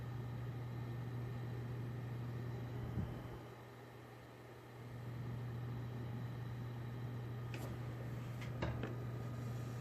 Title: MSI 1070 GTX Gaming X Coil Whine!!!